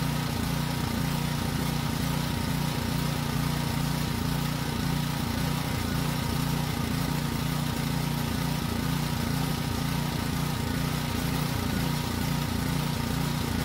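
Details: Generator that ran only on choke: steady even drone, low regular beat holding firm as load comes on and off; normal running under load.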